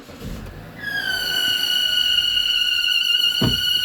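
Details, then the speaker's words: Opel Insignia A16XHT engine at 160,000 km running with steady high-pitched whistle/hum, not belt or pulleys but failed crankcase ventilation (PCV) valve diaphragm in the valve cover; valve previously replaced at 80,000 km. "достаточно это не ремень это вот он самый клапан как диагностируется клапан неисправность мембраны никакой это не ролик и не ремень"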